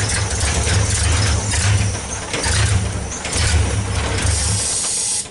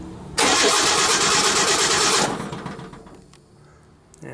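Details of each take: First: 1964 Ford Econoline van with a 170ci six and points ignition, previously crank-no-start. With the coil resistor bypassed and full 12 volts to the coil, it cranks, catches and settles into a steady idle with an even low rumble. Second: 1964 Ford Econoline van, 170ci six with points ignition, crank-no-start: the starter spins the engine evenly for about two seconds but it never fires. Points and condenser are switching; the owner suspects the coil.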